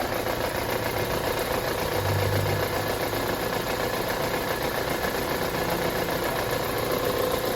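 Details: Opel Astra J 1.6 engine, cold idle, shakes more when cold; lumpy uneven idle with shaky beat near four a second; misfire found caused by burnt valves.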